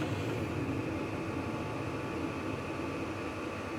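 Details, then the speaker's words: Vevor 8 kW diesel heater on a 12 V power supply, just after ignition: steady low rumbling hum with fan whoosh building slightly as the heater ramps up; normal. "Oh, there's the fuel pump. And I hear something, sounds like some ignition happening. Sounds like it's ramping up."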